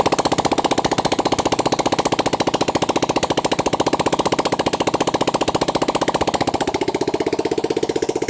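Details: 400cc single-cylinder motorcycle that had lost compression, started after valve seal replacement, valve grinding and head/camshaft refit: even steady beat around 220 firings a minute, clean regular exhaust; compression restored.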